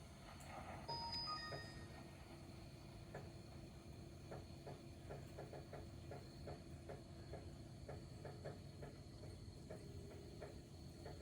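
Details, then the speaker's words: 2024 Ford F-250 Super Duty 6.7L diesel, fuel filter change: priming the lift pump with the key, fifth cycle; steady electric pump hum with irregular ticks and pops as trapped air still sputters through the fuel filter. "okay I hear the fuel filter sputtering just a little bit not bad that's five all right we're going to do this about six times until we get it right I still hear it sputtering"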